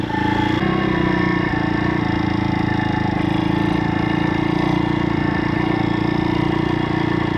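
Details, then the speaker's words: Stomp CRF70-style YX 160cc pit bike after valve clearance adjustment: single-cylinder thrums at a steady even pace with no ticking or clatter; normal running. "but at least the she's running nicely"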